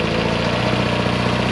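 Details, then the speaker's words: Abandoned 1975 Chevy Vega Cosworth, just started on first drive: smooth, buzzy, rotary-like idle sitting well above normal speed, steady and even with no hunting; the idle is high. "Look. That thing sounds like a RX-7 rotary. And the idle's high."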